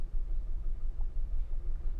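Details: Maruti Alto K10 AMT at idle with blinking check-engine light, cylinder 3 misfire code, low mileage and poor pickup: low uneven stumbling rumble; cylinder 3 ignition coil shows a slight short and the spark plug is bad.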